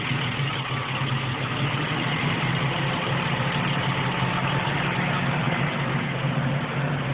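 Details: Ford Windstar idling with a loud rushing hiss over the low hum, a vacuum leak at the upper intake causing a terrible noisy idle.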